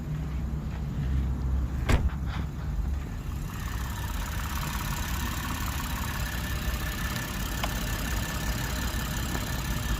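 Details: 2007 Lexus GS300 that had cranked but not started, with no engine warning light, starting next morning: a few brief noises early, then smooth, steady idle with even beat and no knock or miss; healthy.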